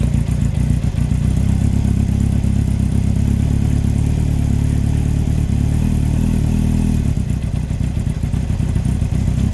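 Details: 2003 Yamaha R1 (5PW), 41k miles, big end bearing failure on cylinder 4: a heavy, low, uneven clatter knocking over the revving inline-four. Cam chain, valves and top end are fine; owner suspects harsh downshifts and false neutrals caused it.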